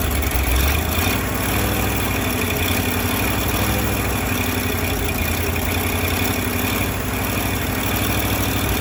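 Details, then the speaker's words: Firetruck V8, warm near 190 and kept from running hotter until a fan is fitted: smooth, even low idle with steady beat, no knocks or bangs; timing set roughly, fine tuning to come; normal idle. "we're g to fine tune it when we get the fan I don't want to run it hot she runs good"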